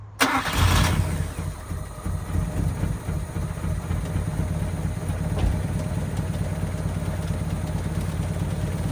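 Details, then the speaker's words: 2001 Honda Civic EJ9 with a D-series engine, off the road since 2014 and last run in 2018, fuel pump primed first: a short crank and an almost instant start, then a steady, even idle with no misses or knocks; healthy. "now it did take two turns of the key the first time I'm guessing it was just clearing its throat a bit cuz it was full of leaves or something up the exhaust um but yeah it fired like absolutely instantly"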